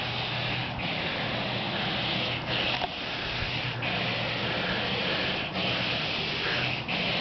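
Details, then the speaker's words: Car left running at 3 AM with the windshield wipers on, heard from down the street: a steady harsh rubbing hiss, breaking about every second and a half, as the wipers scrape across dry glass. "Somebody left their windshield wipers on."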